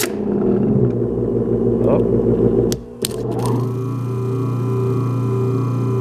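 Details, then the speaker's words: 1920s Century repulsion-start induction electric motor under troubleshooting: rough rattling hum at switch-on, brief sliding pitch change, then steady hum; owner suspects the shorting necklace didn't contact at first; abnormal start noise. "hear that funny noise it made? That makes me think the shorting necklace didn't make contact at first."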